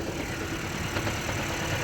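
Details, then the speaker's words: Toyota Camry Hybrid driven over 200,000, random multiple-cylinder misfire code P0300; uneven, lumpy idle with irregular low thumps; dirty fuel injectors blamed, to be cleaned along with a filter change. "एक word आ रहा है engine मिसfर का। इसका injector गंदा हो गया है।"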